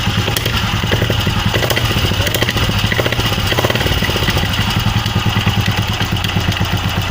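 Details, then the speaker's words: Old Royal Enfield Bullet Electra with a diesel (CI) engine at idle: quick, steady rattle from the clutch keeping time with the engine; a loose clutch chain is suspected. "This is old Electra of CI engine. It has noise in its clutch, you can hear it."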